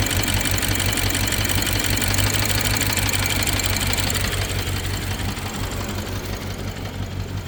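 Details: BMW 750Li N63 V8 at idle after fuel injectors and high-pressure fuel pump were replaced: quick, steady metallic ticking over slightly lumpy idle; misfire and tick, owner suspects timing chain, unconfirmed.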